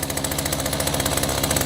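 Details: Echo GT-200 two-stroke string trimmer with aftermarket carburetor, after repair: fast, buzzy, even pulses about sixteen per second, idling too high so the trimmer head keeps spinning; high idle needs lowering.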